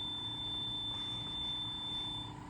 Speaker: But I also need help actually because the um player is playing a lot faster than it should be. It's playing at about 3,500 hertz when it should be at 3,000.